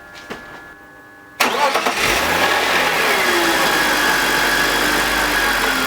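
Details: BMW E46, M52TUB25 petrol six, VANOS reconnected: crank, start and idle with faint grinding and slight rpm sag, less audible than before; grinding worst at startup, absent with VANOS disconnected; VANOS suspected. Grinding after startup.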